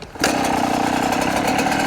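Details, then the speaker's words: Yamaha YZ125 two-stroke during rich-running diagnosis, after jetting changes: starts on one kick with no throttle and settles into a steady, crisp idle with no stumbling. "One kick. Nice. No throttle. That's how it should be."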